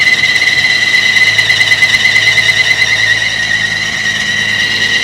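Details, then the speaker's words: 1950 Chevy truck after fuel system replacement and carburetor cleaning, first start after long sitting: runs well but a loud, steady high-pitched alternator belt squeal rides over the engine; throttle linkage appears to lack a return spring. "Cool, it's running. Is that the alternator squealing? Yeah. It's running great, other than the alternator squeal."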